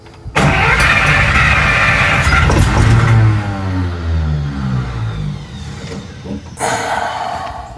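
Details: 1941 Buick Special first start after sitting, fuel pump said to be 85 years old: starter grinds, engine coughs and tries to catch, then winds down; cranks but won't start because the tank is nearly empty of years-old gas.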